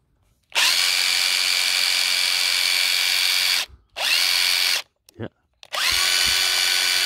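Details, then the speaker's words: Hilti SID 4-A22 impact driver after teardown and cleaning the motor with contact cleaner, fixing loss of power and excess noise: short bursts of high, even whirring that spin up cleanly with no rattle or stutter, running smooth. "I sound a lot smoother one more test we'll know we're good"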